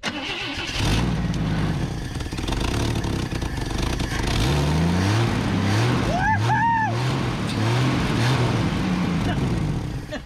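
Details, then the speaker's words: Junkyard Chevy Luv camper four-cylinder, first run with choke open, flooding: rough, loud idle with a raspy puffing chuff over the exhaust beat that rises with revs; exhaust leak. "Run's good running good got one hell of an exha leek you can hear over here"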